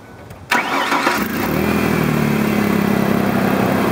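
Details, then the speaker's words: Truck with a 6-year-old battery reading 12.7 V, started after running the headlights about 2 minutes. Brief strong cranking at about 11 V, quick catch to a steady idle, alternator charging 14.25 V; healthy battery and charging. "This battery is running really strong. You saw it dropped down to 11 volts when I was starting it, and the alternator is running well, and it's going to 14.25 while it's running."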